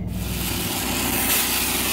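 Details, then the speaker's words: 3.5L Ecoboost-swapped Mustang on E85 on the dyno: continuous raspy tearing roar over the spinning drivetrain as overheated, sticky tire sticks to and peels off the dyno roller. "that's a tire sticking yeah all right go go neutral you're fine and it's the freaking tires are so sticky that it's sticking to the dyo roller as the wheel's spinning"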